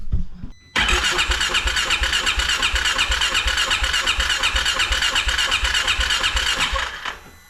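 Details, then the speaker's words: 2016 Polaris Ranger 570 with hard-start complaint, battery strong: steady starter churn about three beats a second, never fires; crank no start. "it'll crank but not start as you can hear the battery sounds good and strong she just won't fire"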